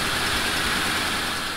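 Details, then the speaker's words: Mercury Grand Marquis the day after exhaust manifold replacement and Y-pipe reconnection: a low, steady, very quiet idle with an even murmur and no puffing or ticking, so the engine and exhaust sound healthy. "there you have it, folks. It is the next day, and I bet you can barely even hear the car running behind me. It is so quiet."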